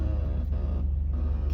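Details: Older car with power steering groan mostly when steering left while parked, both sides when driving: deep steady low groan over the running engine, no knock; owner suspects low or old power steering fluid.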